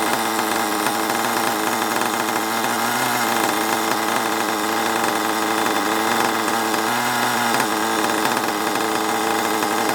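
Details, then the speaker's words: Long-stored HPI Savage 21 nitro RC monster truck after leaning out the needle; loud steady high buzz at near-constant revs with small dips; now running reasonably well, though it needs a good drive. "but yeah man i'm happy with that that's uh that's a quite a good result at least it runs right now ish needs a good drive"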